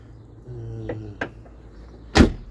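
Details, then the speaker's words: Rear car door lock actuator after being removed, its internal mechanism worked a little and refitted: short motor whir, sharp clicks and a firm clunk as it locks and unlocks. Previously it would not lock or make this sound; it now works normally. "Önceden bu ses de gelmiyordu. Şu anda kitlendi. Açılıyordu."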